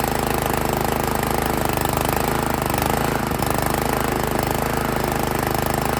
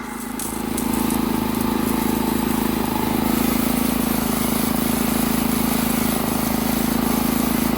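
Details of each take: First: Honda GX160 single-cylinder on an Italian Workman 2 Multimixer cement mixer, running rough, choke on, idle screw being adjusted; uneven lumpy chugs about four a second, won't idle; valves set too tight. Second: Honda GX160 on a Workman 2 Multimixer cement mixer, about 10 minutes after starting, water added to the drum as simulated load: steady, even single-cylinder beat with smooth low drone holding firm; running healthy.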